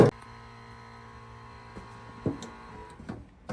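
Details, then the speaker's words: Suzuki GSXR after battery and fuel tank replacement and carburettor and fuel pump rebuild: a quiet, steady low hum with faint whirr under a few clicks, the fuel pump priming well, unlike before the rebuild. "good news is you can hear the pump timing so a lot actually sounds like it is now which is nice definitely was not like that before"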